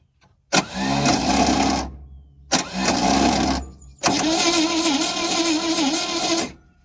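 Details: 1971 International 1110 stepside pickup from a salvage yard, long sitting, no intake vacuum felt at carburetor: three bursts of fast, even cranking, no firing; crank no-start, zero compression.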